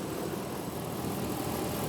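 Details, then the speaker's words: 2008 Dodge Ram 1500 SLT, V8 with 6-speed manual, 55,000 original miles, fresh synthetic oil service, hood open: smooth, even low burble at idle with no abnormal ticks or knocking; normal healthy idle. "And yeah, you can just listen to it idle. There's no abnormal ticks or anything. It sounds great."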